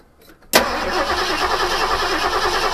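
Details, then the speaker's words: Ford 1972 Gran Torino 351C, last run November 2021, just fitted with a remanufactured starter and given a little gas down the carburetor: the starter spins the engine at a steady chug but it never fires, a crank with no start. "all right go ahead and crank it see if it'll fire nope"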